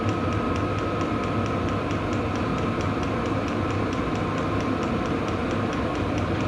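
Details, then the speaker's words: VEVOR diesel heater running after about four minutes of startup: even blower rush with the clicker-style pusher fuel pump ticking about three times a second; normal operation. "so you can hear you can definitely hear the blower motor and then if this thing's running outside you you'll hear the blower motor and you'll hear the clicking uh it does have a a clicker style Pusher style pump in it"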